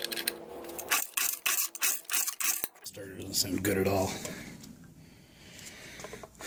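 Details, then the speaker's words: 1975 Johnson/Evinrude 4 HP outboard under inspection: the recoil pull starter rasps roughly in uneven scratchy bursts, feels horrible and slipped once. Top cylinder showed low compression, bottom near 90. "Pull starter sounds horrible. Feels horrible too. It slipped there once."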